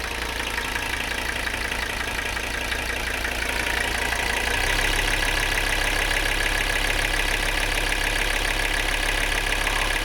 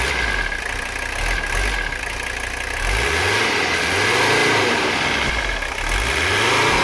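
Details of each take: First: Mercedes 300CD diesel after new fuel filters and air bleeding, idling then stepping to high idle: steady diesel clatter with an extra unidentified noise riding on top, source unknown. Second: Abandoned Mercedes 300CD diesel after a valve adjustment, fuel line leak repairs and a diesel purge through the fuel system, not yet at operating temperature: steady idle clatter, then smooth eager revs with no stumble; runs cleanly.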